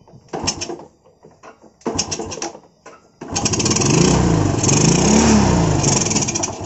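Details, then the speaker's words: 2014 Yamaha Vega RR, hard to start, only fires with the carburetor choked; sputtering cranking bursts die before it catches and runs unevenly; owner suspects leaking valves causing compression loss, not confirmed; hard starting. "Hai nah jadi itu dia guys kendalanya jadi motor itu susah hidupnya pengen hidup pun harus karburatornya ini harus di Cup ya guys"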